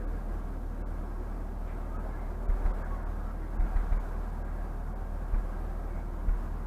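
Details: 2004 Honda Pilot throwing code P1399, compression around 195–210 psi: quiet idle with an occasional uneven thump every second or two breaking the rhythm; misfire, coils considered, cause unconfirmed.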